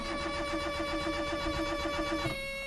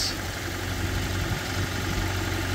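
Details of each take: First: Barn-find Proton, started on a jump pack: long steady cranking with even starter whir and pauses between attempts before it catches; long crank before start. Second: Barn-find Proton, likely a Saga, started on a jump pack: steady, even low idle with no misses or knocks, settling into a healthy tickover.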